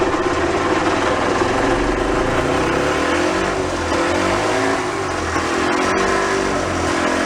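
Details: Early-1980s gas golf cart pickup barn find, running on a little fuel in the carburetor float bowl without choke: the small single-cylinder engine runs with a steady, slightly wandering putter, no knocks or misses; sounds healthy.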